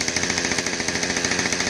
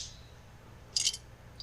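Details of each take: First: Husqvarna 550XP Mark II chainsaw after oil pump replacement and muffler swap: idles with crisp regular two-stroke pop, revs cleanly, drops back smoothly before shutting off; running properly. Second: Husqvarna 550XP Mark II chainsaw being shaken: short metallic jingling rattles in two bursts; first thought to be the oil tank pickup, clearly a broken-off piece loose inside the muffler.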